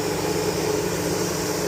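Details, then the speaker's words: Chevy Tahoe with code P0128 and erratic coolant temperature sensor readings, engine off: constant loud airy rush of the cooling fan running after shutdown; faulty coolant temperature sensor, about to be replaced. "know you guys can't really hear me from the fan running. I'm going to see if um it's going to go off before I stop."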